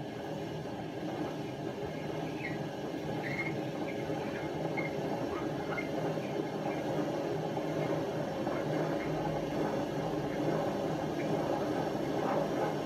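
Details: Hotpoint First Edition FEW12 washing machine, left outdoors for months: a deep steady train-like roar through the spin, with the drum never picking up speed. The drum bearings are extremely worn.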